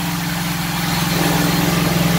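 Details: 1967 Mustang with ATK crate 302 V8 (replacing straight six), second cam break-in session, no load at 2000-2500 RPM: steady even rumble, climbing slightly, no ticks or knocks.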